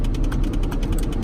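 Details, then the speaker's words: Old Cadillac, blower airflow not reaching the vents: rapid, even plastic clicking, about eight per second, ratcheting behind the dash; the HVAC blend door actuator box is broken inside and needs replacing. "as you heard by the clicking the blend board box is bad inside the - it's a weenie he wants that fixed"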